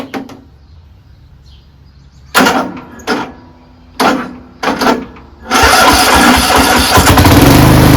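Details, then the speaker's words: Craftsman 13.5HP 30-inch riding mower starting on an overnight-charged battery: three or four short cranking bursts before it catches and runs steadily; history of hard starting, owner suspects valves need slight lash adjustment. "this engine has had uh a history of you know a hard start and usually that's the valves and I don't recall ever doing the valves so it probably needs a slight valve adjustment"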